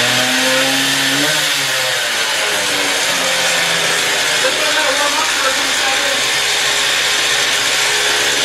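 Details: Stihl TS350 cut-off saw after engine rebuild, fuel freshly mixed, choke off and throttle lock on, old blade fitted, already run two hours earlier; engine winds up cleanly and holds a steady high scream with no misses or sputter, normal running at high revs.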